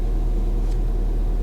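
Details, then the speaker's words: Ford Fiesta ST, just started after fitting a replacement ECU to cure a previous misfire: low, even idle rumble with no stumbles or dropouts; smooth, steady idle, no misfire. "are you joking is this real it's not misfired it's perfectly smooth"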